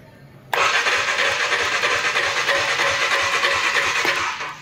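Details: KTM 390 Adventure motorcycle started after over 90 days parked under a cover, service and side-stand lights on: slow, uneven cranking at about three turns a second under a hissy whir, and it never catches. Battery too low to spin it.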